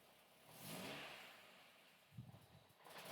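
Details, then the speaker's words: Engine on MEMS3 live mapping, VVC inlet cam duration raised from 225 to about 260 degrees: uneven, loping idle with irregular low thumps and stumbles, smoothing when returned to 220; rough idle from excessive cam duration. "it's really struggling on the idle now. Can you hear that? It's idling like it's got a big high duration cam in it, because the values that I put in have taken effect straight away."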